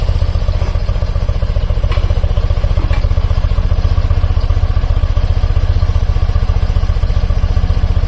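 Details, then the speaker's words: BMW airhead boxer twin during carb synchronization with a vacuum gauge in balance mode, after valve adjustment and timing: low even putter at about 830–850 rpm with matched pulses, no misses or hunting; carbs balanced, smooth idle. "all it took from not wanting to idle what are not wanting to rev up to a perfect balanced part 8 30 840 850 something like that I like that sounds good runs really smoothly"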